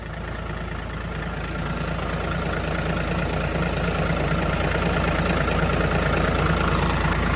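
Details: Diesel engine after fuel system cleaning and bleeding, weak power blamed on dirt in fuel; low steady idle with even beat about three per second slowly building, smooth and clean; fuel now flows freely; normal idle.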